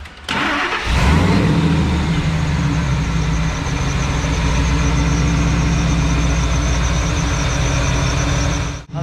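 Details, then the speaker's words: Truck (Lightning) engine started and idling, thin chirpy squeak over the rumble from a dry idler pulley bearing going out, individual bearings audible; to be repacked with grease rather than sprayed with WD-40. "most all of you can hear that squeak right that squeak is a dry bearing a bearing trying to go out it doesn't sound good you can actually hear the bearings in there"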